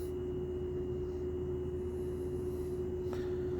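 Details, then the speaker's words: Lloyd air conditioner under warranty, unresolved after two service visits: constant mid-high hum at one steady pitch, like a distant train horn, over a low drone, heard in the room and near the outdoor unit; source unknown. "आप सबको सुनाई दे रही है इसी की आवाज़? जैसे train का हॉर्न होता है वैसी आवाज़।"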